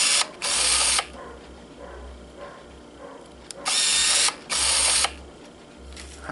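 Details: 1987 Pentax SF1 35mm autofocus film camera: after the shutter click come three short, crisp, even high-pitched motor whirs of about half a second each; the film advance motor is working normally.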